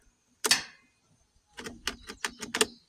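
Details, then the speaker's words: Kubota B26 tractor no-start: key on gives quick burst of sharp dry clicks from the shutoff solenoid clicking on and off, no starter click, no cranking. "Nothing. No click, no nothing. We have the You can hear the uh shutoff solenoid clicking on and off."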